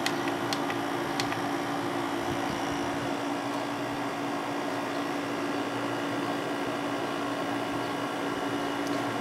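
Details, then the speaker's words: Windmill 6,000 BTU window air conditioner installed in window, cool mode, fan on medium; steady airy whoosh with low constant hum, no rattles, not much louder than low speed; normal fan operation. "Not much louder than low speed."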